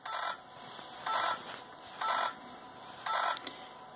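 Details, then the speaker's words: Yaesu FT-891 radio: sharp clicking bursts about once a second during logging-software CAT polling, same on all frequencies, stopping instantly when software stops; owner concludes digital line interference. Periodic clicking during CAT polling. "the instant I stop it the noise stops this leads me to the conclusion that this is happening as a digital line to R"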